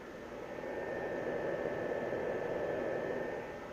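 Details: 500 W inverter in portable power station running an ice maker: steady fan rush with faint constant high whine, no cutting out or surging; inverter carrying the load normally.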